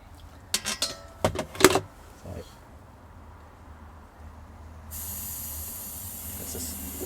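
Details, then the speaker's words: Caravan LPG bottle regulator fitting deliberately loosened to test a Toptes PT210S gas leak detector. A few metal clinks, then a steady hiss of escaping gas. LPG leak at fitting. "so let's make it leak again there it is oh just a little there you go little puff and then I closed it again"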